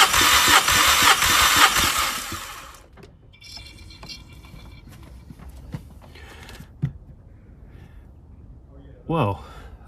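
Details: Mk5 VW Golf GTI with cylinder 3 misfire, compression test with ignition on and no fuel: strong, even cranking beats about three per second; normal cranking compression, mechanical issue unlikely.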